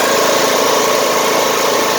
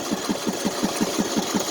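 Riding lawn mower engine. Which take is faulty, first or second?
second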